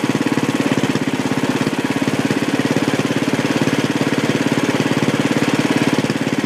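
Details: Sears Suburban tractor on a homemade propane conversion fed from a 5-lb tank through a fine-tuning valve, with no noticeable power loss. Fast, even exhaust beat at steady speed with no misses or knocks; slightly smoky because it is old. Normal running.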